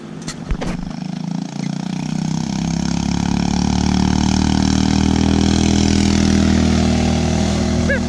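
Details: 150cc Yerfdog go-kart that reportedly wouldn't run, after repairs including a hose clamp on a busted clamp: a few cranks, then it catches and settles into a steady, loud open-exhaust putter that runs evenly; normal running.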